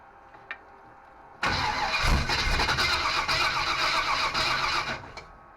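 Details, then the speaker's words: Small block Chevy 350 V8 (removed from a '46 Chevy) in a 1955 Willys wagon, first start attempt; starter cranks about four beats a second for several seconds but never fires. Fuel not reaching carburetor despite three different fuel pumps; cause unconfirmed. "It's just not pushing the fuel up to the carburetor for some reason. Three different fuel pumps."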